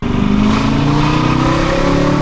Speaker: The weirdest part is that if you listen closely, you can hear the inconsistency in throttle and boost during wide open throttle.